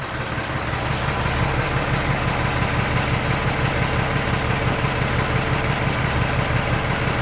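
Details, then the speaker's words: Peterbilt 379 ISX Cummins after cam gear timing reset and backlash adjustment: steady, even deep diesel idle with no stumble or miss, no smoke. "No smoke. That's good. It's not stumbling like it was yesterday."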